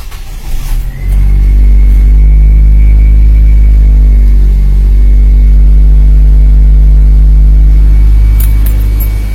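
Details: Nissan Grand Livina after replacing leaking coil protector sleeves and all ignition coils, which had caused misfire and dead coils, jump-started on a weak battery: catches after a brief crank into a loud, steady, even idle without stumbling; normal idle.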